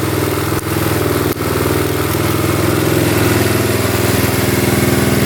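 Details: 1972 Honda CT70 single-cylinder, all-original auction bike being revived after a bogging issue, idling in neutral, running well with no smoke; even putter with a couple of brief early dips, then smooth steady normal idle.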